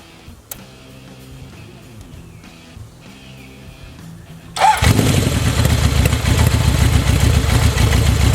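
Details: Honda CB 750 running again, with carbs fed from an IV bottle and no carb leaks: after a quiet stretch it catches abruptly and settles into a steady, even multi-cylinder idle with no misses or knocks, running normally.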